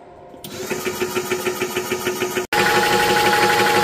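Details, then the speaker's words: Orcair Thunder 4500psi PCP compressor set near 4,500 PSI, about 25 minutes into filling an SCBA tank (up about 500 PSI): even piston thumping, roughly three beats a second, louder as it works harder; normal running under load. "it definitely sounds like it's gotten louder since it's working harder"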